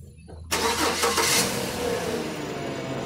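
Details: Engine cranks and catches within half a second, then settles into a steady, even run. No ticking or puffing is heard from the exhaust after the catalytic converter seam leak was welded and patched.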